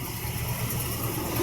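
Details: Old farm truck with a 460 V8, battery dead, jump-started with a Uniden 400 A peak pack after a first failed try from a bad clamp connection; catches and settles to an even idle; normal start.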